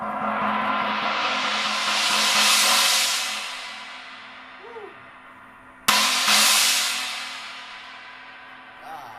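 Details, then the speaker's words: Zildjian 18" China Boy Low cymbal after its crack was repaired: two strikes give a bright, trashy wash that swells and decays smoothly, with no buzz or rattle. It sounds much better now. "don't know about you guys, but it sounds a lot better to me."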